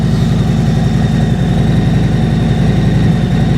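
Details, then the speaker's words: 2021 Harley-Davidson Road King V-twin at idle: deep, loping, even rumble around eighty pulses a minute with no knocks or rattles. This is a healthy, normal idle. "oh she sounds nice she sounds real nice kick those uh kick those highway lights on there so i can show them to you guys i'll take you out back so you can really hear the rumble"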